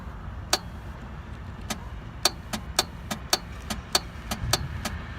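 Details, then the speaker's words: 1997 BMW R1100RT with 56,500 miles that refused to start at a gas stop, even on a jump: uneven sharp clicks, about two a second, with no cranking. Starter clicking, engine not cranking; starter suspected failing. "we try to jump I think this starter is messed up on this"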